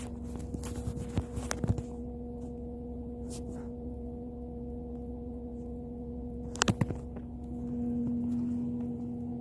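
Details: 2005 Toyota Vitz with a steady low even-pitched hum, heard while driving, stopped at a light and in reverse but not in park; it swells louder near the end, with a few clicks. Cause unknown.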